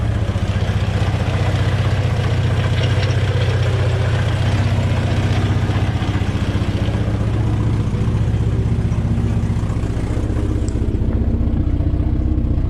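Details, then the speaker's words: Volvo B20 engine first start after years of sitting, fresh fuel, carb bowls refilled and O-rings replaced: low, lumpy idle with an uneven beat that never settles, running but rough; exhaust fairly clear, smoking a bit. Rough idle. "all right that's enough i think woohoo not the healthiest of engines but it is running"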